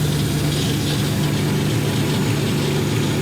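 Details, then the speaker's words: V8-swapped Ford Capri with a lumpy idle and a big exhaust leak at the back and side of the 'pump' (as stated). A raspy, breathy puff comes on each beat with a hiss over the top. Smaller leaks are also known; a new exhaust is planned. "We know we've got small leaks because we're going to be building an exhaust for this one. But there's a big leak there."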